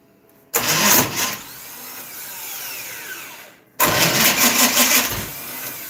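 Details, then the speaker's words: Dirt track race car with distributor timing being adjusted, on a junkyard starter rebuilt many times: two short labored, uneven cranking bursts that never catch; slow cranking, the starter is probably worn and may need replacing. "Might need a new starter, dude. Well, this starter is a junkyard special that's been rebuilt 35,000 times. Sounds like you need another starter."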